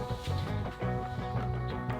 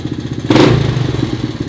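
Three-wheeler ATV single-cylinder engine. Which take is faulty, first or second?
first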